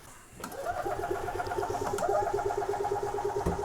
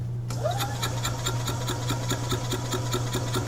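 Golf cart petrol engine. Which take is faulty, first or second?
second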